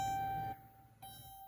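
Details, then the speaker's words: 2012 Dodge Caravan, key to run after replacing the ECU (TIPM, WIN and fuel pump also replaced): two clear high dings half a second apart in a quiet cabin, the normal key-on chime; it then starts, and the fault was the ECU. "right we wait until you hear the second set of dings okay turn it off"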